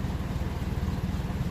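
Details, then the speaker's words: 1957 Ferguson 35 TVO tractor idling after rocker oiling check; soft, even thrum, no top-end ticking, quietest it has ever sounded; normal idle. "if it says sounding like this as I said before I'd be very happy because it's never sounded as good it's really really quiet really happy so we'll see"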